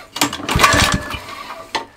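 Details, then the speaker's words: Mountfield Emblem 2-stroke lawn mower fitted with a makeshift copper-sheet bottom bearing, fired briefly on starting spray: uneven sputters with a dry scraping rasp, possibly from the pull-start recoil; scraping noise on brief run. "that noise that's scraping noise is the pokéstar"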